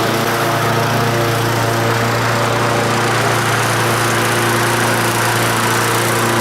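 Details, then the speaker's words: Previously non-running lawn mower engine on a mowing road test. Steady, even single-cylinder drone holding speed under cutting load with no surging or misses; starts well and runs smooth. Normal running under load. "she starts real good runs nice and smooth so that's a good motor"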